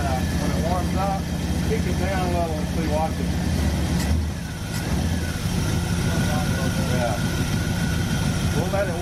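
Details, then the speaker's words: Ford hot rod with Edelbrock carburetor during tuning after vacuum leaks were found, restarted on the fast idle: low steady V8 rumble with no misses or stumbles, though fast idle should be a little higher; normal cold-start idle. "shut it off a second okay start up [Applause] again it should start up like that and then"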